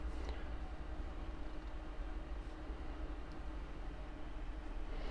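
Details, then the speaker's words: NAD 3020A amplifier during recap, volume at minimum, input connected but no music, bass turned up: steady deep rumble without rhythm, a feedback-like low-frequency oscillation. "But if I turn the bass up, you get that. It's kind of a feedback."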